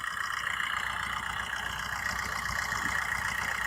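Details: Used car checked before buying: the engine idles with an even, steady pulse and no belt squeal, ticking or knocking, so it sounds healthy.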